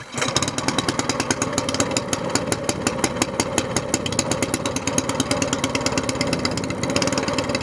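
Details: SPS Longtail mud motor, freshly built, firing up on choke just after its first oil change following a 3-hour break-in, with 10w-30 Royal Purple synthetic plus BestLine. The small single fires fast and evenly with a crisp, steady popping beat and no knocks or misses; it is running healthy.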